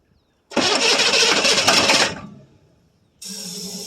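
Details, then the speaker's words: 1982 Chevrolet Silverado K10 6.2L diesel sitting about 22 years, new batteries: starter spins steadily about 1.5 seconds but never catches after briefly running; no fuel delivery, crank no start. "Now, we just got to get some fuel going to it."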